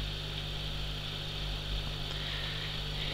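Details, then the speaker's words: 650 L/h aquarium powerhead in the tank after silicone oil lubrication of the impeller (worn metal shaft): soft, steady low hum with faint buzz, no rattle or grinding. Normal quiet running after the fix, about 45 dB. "so now the pumps back in the tank the silicon oil seems to have done its job nicely it's much much quieter"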